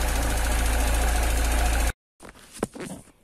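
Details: Cold engine in the morning shaking with tapping; runs roughly with a quick, fairly even tick about four times a second over idle, cause unknown. Cold-start ticking and rough idle.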